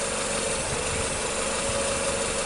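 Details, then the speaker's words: 2007 Nissan Sylphy (KG11) MR20 engine, P0304, no check engine light, losing power especially with AC on, rough idle: uneven stumbling idle beat with an occasional dropped pulse, heard at the muffler; cylinder 4 misfire being scoped via coil. "Alright, so you hear the engine is sounding a little rough. Alright, let's go to the muffler. So it definitely sounds like a misfire, right?"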